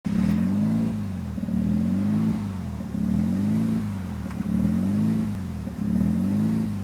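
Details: 1993 RHD Mazda RX7 rotary with newly installed Power FC ECU (wires not cut): idle hunts up and down in slow waves about every second and a half, never settling; rough, surging idle.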